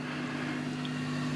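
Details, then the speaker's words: Fender Hot Rod DeVille Mark III 4x10 valve amp out of standby at full volume with a 12AY7 in V1, mic at the speakers; only faint steady hum under soft hiss, slight crackling noted earlier; normal amplifier hum. "and you're right in there with the speakers very little hum"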